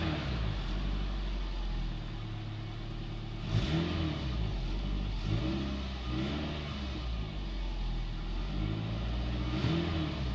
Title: 2003 Toyota Highlander 2.4L Exhaust Leak